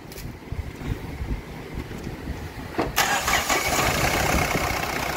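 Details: Mahindra Bolero Maxi Truck pickup diesel, about 3 lakh km, was burning oil, after engine overhaul with new sleeves: short crank, fires cleanly into a steady, even idle with no knocks or misses.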